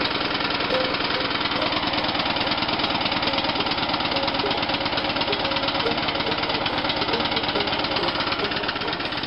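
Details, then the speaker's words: Free abandoned lawn mower left sitting with flat tires, first start attempt after battery charger hookup and reinstalling the spark plug: small single-cylinder fires and runs on its own with a fast, even popping beat, no misses. "I didn't expect it to crank. Burning off the exhaust pipe that I filled on there a while ago. Called my neighbor, let him hear that thing run."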